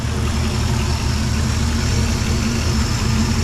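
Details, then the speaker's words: Chevy Nomad wagon at first run, transmission just tested in reverse, burning off residual, temperature not yet rising: steady deep even idle, no misses, knocks or ticks, smooth rumble; normal idle. "Motor seems to be purring pretty good though. Burning off a bunch of residual."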